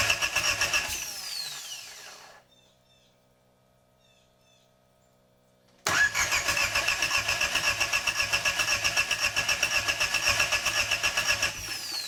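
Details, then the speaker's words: Jeep TJ with TDI diesel swap, first start attempt: starter cranks the diesel at about four beats a second for several seconds while priming the injectors, never fires. "so now we're at the point we just try to start the engine so we primed the turbo so we just crank it a bunch and now we have oil to the turbo"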